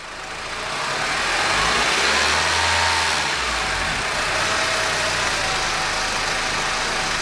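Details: Honda R18 petrol engine idling with a dry, intermittent "zzzzz" buzz from a bad belt tensioner bearing.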